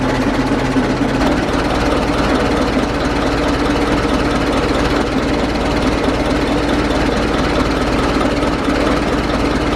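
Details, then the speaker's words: 1920s Dodge tourer after fitting a replacement engine fan and adjusting the belt: engine catches and runs steady and even with no rubbing or slapping from the fan; fan clears radiator and belt. "so well that all appears to be working so the fan's not hitting the radiator it's not hitting the uh the fan belt"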